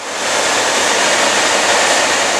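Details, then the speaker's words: 1949-1954 Chevrolet Styleline fresh-air heater after heater core replacement, original blower motor kept after 12-volt conversion: strong, steady rush of air with no ticking, squeal or wobble; blower running hard and healthy, blowing hot. "And holy cow, it is nice and warm. If you can hear it or how well, but that thing is ripping, and it is ripping heat."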